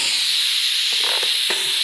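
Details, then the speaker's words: ARCCAPTAIN 200P AC/DC TIG welding stainless with stock regulator around 30 CFH, after fixing a polarity mix-up: steady even high hiss with faint constant tone, no crackle or sputter; nice stable TIG arc. "Yeah, it's welding stainless, no problem. If it's welding stainless, no problem, and the arc's nice and stable, I don't even need to try mild steel."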